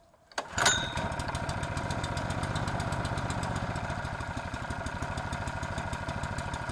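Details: Honda GX120 water pump engine after cleaning and repair, reported to run then stop: starts with a pull, then steady, even single-cylinder beat at fast idle with no misses; runs smoothly.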